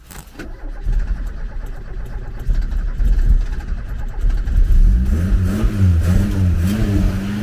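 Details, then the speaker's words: Garden-find Ford Capri, after getting fuel through, heard from the rear: catches and revs smoothly with even steady exhaust beat, no misses or knocks; running well. "get that noise that's a really even exhaust note that is running really well"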